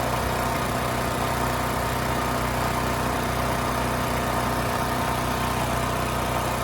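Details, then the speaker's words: Westinghouse 7,000-watt electric-start generator after carburetor cleaning and fresh fuel (previously rusted tank, gummed carb): steady, even drone with no surging, misses or knocks. It smoothed right out; fault possibly bad fuel, pilot jet or emulsion tube. "The engine smoothed right out, no issues. So yeah, it may have been as simple as bad fuel or that pilot jet or the emulsion tube."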